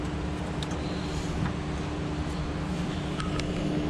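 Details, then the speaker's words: Barn-find 1978 BMW 320i, undriven since late 1990s, just fitted with new fuel injectors, still on old gas; steady even hum with low note, no knocking or stumbling; alternator reportedly dead; running cleanly. "but it runs yeah it does sounds good sounds strong"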